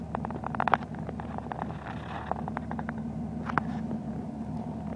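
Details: 2005 Dodge Ram diesel rough idle only at idle, gone as soon as throttle is applied: uneven rumble with irregular sharp knocks; cause unknown.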